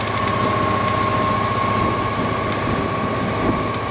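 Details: 1998 Honda PC800 motorcycle running after fuel pump replacement: a steady, even engine run with a faint constant whine and no knocks or misses; the bike runs smoothly.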